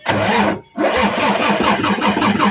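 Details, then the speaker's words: Mitsubishi 6M70 double-EGR diesel with a hard-start problem, after a part swap: a short crank, it catches within a second without starting fluid and settles into a steady, even diesel idle. Normal start and idle. "So yun mga ka-del umandar na. So hindi ko na ginamitan ng contact liner mga ka-disel. Aandar na siya."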